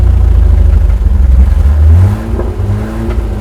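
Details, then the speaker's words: 1983 GMC Sierra 250ci straight-six, sat 17 years, running with the carb bowl filled and fuel drawn from a gas can: heavy rumble sagging and surging at idle. Owner suspects a clogged idle jet and leaks from split vacuum lines. Rough idle. "Idle Jet might be clogged for sure I can keep it maybe we're not getting that bunch of fuel flow"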